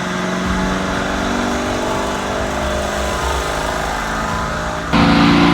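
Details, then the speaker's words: Wrecked-and-rebuilt Lamborghini Urus 4 L twin-turbo V8, stock dyno run (should make 640) in fifth gear reaching 157 mph: loud steady full-throttle drone, flat and strained; engine held back in limp mode, made 534 hp. "stock it's meant to be 6:40 but we're in limp mode here we go stock run"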